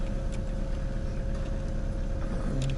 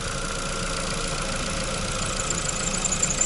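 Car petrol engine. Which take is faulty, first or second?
second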